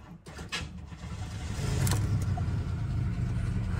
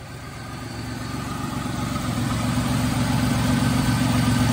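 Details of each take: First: Buick Riviera, ex-flood car listed as a non-runner, about 96,000 miles: brief cranking, then engine catches and settles into a steady even low rumble; starts and runs fine. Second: Flood-damaged Buick Riviera with 3800 V6, idling after firing right up: light, steady puffing tick from a small exhaust leak at the rear, maybe a manifold leak; engine otherwise runs great.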